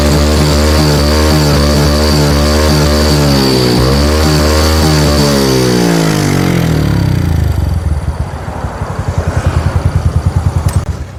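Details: Carbureted Yamaha Jupiter Z (old) / Vega R New, retested after carburetor reassembly with no improvement: revs rise unevenly and stumble through the middle range (40–60), won't rev freely, then drop to a lumpy idle. Mid-rpm bogging.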